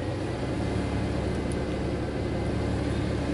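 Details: 1999 Suzuki Grand Vitara that won't complete its inspection monitors (no codes, O2 sensor and catalyst monitors incomplete), engine just started: smooth, even low rumble with a steady idle speed and no knocks, ticks or misses; healthy idle.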